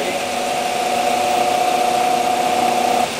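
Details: Frigidaire Unimatic (Roberts 1140) top-loading washer during spin start-up, current draw being measured on the spin solenoid: steady mid-pitched motor hum for about three seconds, then it drops back and eases off as the start winding cuts out and the motor settles. Normal spin start-up.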